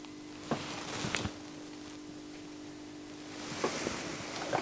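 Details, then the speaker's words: NAD C520 CD player that doesn't play: quiet steady low transformer buzz under handling clicks, after measuring DC rails of -9.4 V and 23 V; transformer suspected, cause unclear. "what i found out is that that the cd player don't work but interesting this irritating noise makes something"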